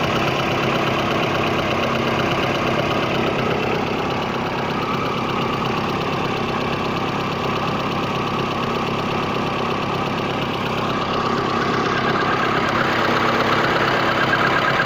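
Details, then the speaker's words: VAZ 21099 at idle: light tapping knock that comes and goes rather than staying constant; unusual engine knock, cause not identified. "вот сейчас было слышно ну не всегда not время от времени постукивают"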